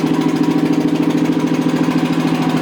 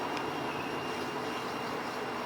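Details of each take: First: Rebuilt Toyota 7M-GE engine with hand-dremeled valve seats, test-run out of the car on a dolly without thermostat housing or radiator: a loud idle with a lumpy pulse near 160 a minute. One cylinder may be weak; number 3 was then leak-down tested. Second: Toyota 7M-GE engine, rebuilt with valve seats reworked, running out of the car on a dolly: steady, even high whirr with a faint fixed whine and no surging or rattle; fuel pump running normally when connected.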